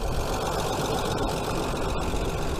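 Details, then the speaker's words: Hyundai Sonata 2.7 V6 after cambelt and water pump change: steady low idle rumble with no squeal or chirp, settling as it warms; earlier cold-start belt/water pump bearing squeal now gone. "She's started up, she's running all okay. Job's a good one."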